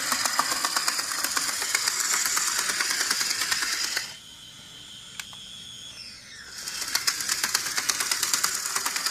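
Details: M.A.S.H. HO scale model locomotive bought secondhand: light fast clicking about four per second over the running motor, briefly dropping out; clattering/knocking from the rear truck, cause unknown.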